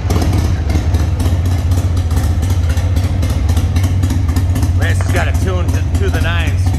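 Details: Restored 1995 Harley-Davidson Sportster 1200 after a full service with new tires and suspension: loud, lumpy V-twin potato beat holding steady with crisp blips; starts and runs clean and healthy.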